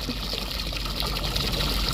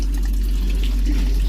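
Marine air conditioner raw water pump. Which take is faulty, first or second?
second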